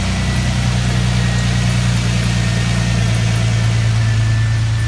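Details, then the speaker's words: 2000 Lincoln LS just started after fuel filter change, fuel pressure about 31 psi: steady, even hum at raised revs before idling down, no misses. "Now I have it started up. Looking at my PSI. And I'm still at about 31, but it's still revved up. We'll wait till it gets to idle down because it looks like it's climbing."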